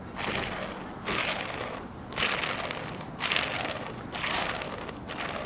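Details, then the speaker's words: Removed Tesla Model S Sport drive unit, shaft spun by a drill through a screwdriver: rough, gritty rushing noise in bursts about once a second from a worn input shaft bearing. "Bật máy khoan và lắng nghe xem ổ trục có phát ra tiếng ồn không."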